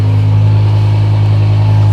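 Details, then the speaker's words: Used BMW at exhaust tailpipe after picking up a new mod: deep, steady drone with even beat, no hunting or misfire; started up fine, no major cycling. Normal idle. "Good news is sounds like it started up just fine."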